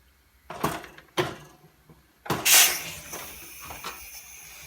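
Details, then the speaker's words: Liquid oxygen: small portable tank coupled at 90 degrees onto the large tank: clunks as it seats, then a sharp hiss settling to a steady softer hiss; normal, connection between tanks open. "you hear that hissing, I don't know if you can hear it, it means that there's now a connection between the large tank and the small tank that's open."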